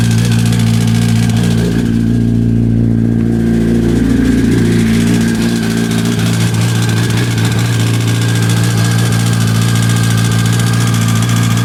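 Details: 2005 Yamaha R1 (5VY) engine at idle: a loose, uneven rattle and light knock over a steady low hum; cause unknown.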